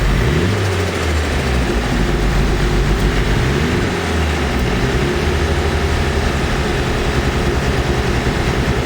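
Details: Nissan S14 SR20DET, freshly rebuilt with OEM parts, filmed completely cold; it starts perfectly but running pig rich with black smoke. The turbo four idles lumpy and uneven with repeated stumbles, revs fine but shakes at any steady rpm: misfire with rough idle, cause unknown.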